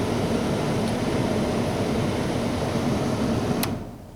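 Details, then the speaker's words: 1996-2007 Ford Taurus with the AC on, blower on high, the only setting that works because the blower motor resistor has burned out: a strong, even rush of cold air with a steady hum, then a clean cutoff; the blower motor itself is fine. "But now, when I turn it on high, it's starting to blow out real nice cold air. Feel that? So that means that my motor is fine. My motor blower is fine."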